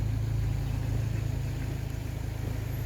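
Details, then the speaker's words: Ford Focus MK1 1.4/1.6 petrol, just after the fuel rail and injectors were swapped for a second-hand set (for rich fuel trims). Cold start, warming up at idle: a steady, even rumble with no misses, and the injectors are not leaking. "okay so the injector's all good they're not leaking it's running we're going to let warm"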